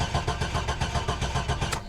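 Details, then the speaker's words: C7 Corvette, fuel-injected: steady even cranking with no firing or catch, about 20 psi oil pressure, no fuel pump heard; engine sounds healthy but won't start, fuel pump fuse suspected. "yeah she makes no attempt we're not going to burn up the starter or anything"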